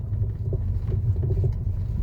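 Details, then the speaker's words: 2015 Mercedes-Benz E-Class W212 on a rough test road at slow speed: light, irregular knocking clatter from the front driver side over low road rumble, louder when driving slowly. Blamed on a worn ball joint with play. "소리 더 커지고 있죠 천천히 가니까 여기 그냥 전에 영상이 있는데 볼 자체가 유격이 더 공간이 더 커지잖아요 그러니까 소리가 더 커질 수밖에 없죠"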